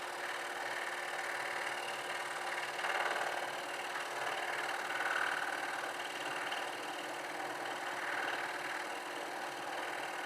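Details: Scroll saw cutting triple-stacked wood including cherry, running at about 80% speed: steady, even buzzing hiss with no bogging or stalling; cutting smoothly.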